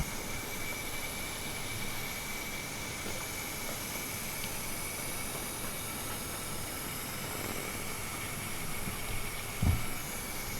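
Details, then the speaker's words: Mazda Miata after polyurethane motor mount install, stalled and now cranks but won't start; steady hiss in engine bay with key on, engine off, near intake manifold and fuel rail by last injector; suspected intake manifold gasket or injector O-rings. "so what I saw and heard was that there's a little bit of a air leak which you can hear when you put the key in and you go to start the car but not really started and you come to the engine bay and listen to that hissing sound"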